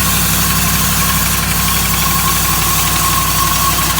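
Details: 2008 Dodge Ram 1500 5.7 Hemi at idle: a fast, loud, constant rapping knock about three beats a second. Five mechanics could not identify it and suggested a new engine; source unknown.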